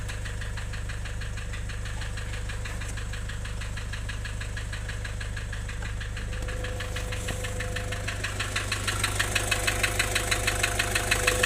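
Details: Nissan Urvan Estate E25 ZD30 diesel idling with sharp, regular deep knocks about three per second, growing louder toward the end. An engine block assembly replacement is mentioned in connection with this knock.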